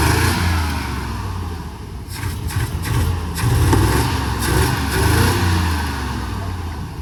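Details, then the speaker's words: Auction-bought engine, low oil, restarted: engine picks up and falls back through a few revs without stumbling, a few sharp clatters on top; now runs clean and sounds better. "runs very good now. Well, that's good. Sounds better."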